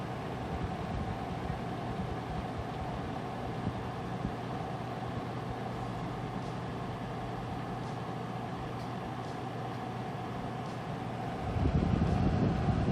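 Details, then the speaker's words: Noctua NF-A14 iPPC-3000 PWM 140mm fan in a Corsair One i160, believed to be at its 3,000 rpm max versus about 1,600 rpm before: a steady rush of air with a low hum, no ticking or rattle; running normally. "so you could hear the difference so with the other one a lot quieter because it wasn't spinning as fast i believe that's 16 1600 rpms i believe this is at its max 3000 rpm"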